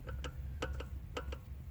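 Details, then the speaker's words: Audi A4 with vibration during acceleration, worse at speed: sharp metallic clunks in close pairs roughly every half second as the axle half shaft is rocked up and down by hand; worn CV joint play causing vibration. "you hear that okay so this will cause vibration in the whole system that little bit of movement here"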